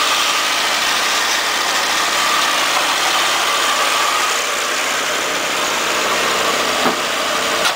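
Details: Pontiac Firebird LT1, under 100,000 miles, sat 6 months, jump-started after weak battery with alarm parasitic drain: engine settles right after starting into a steady, even idle, no knocks or misses, some hiss; normal idle.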